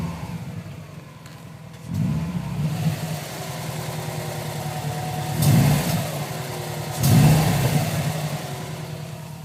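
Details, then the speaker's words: 2010 Subaru Impreza WRX Limited pulling away in first gear as the clutch releases under throttle; rough low rumbling bursts from underneath the car, source unconfirmed. The dealer blamed the exhaust, and it began weeks after purchase. "First gear, re releasing a little bit the clutch, giving some gas, and you hear that sound?"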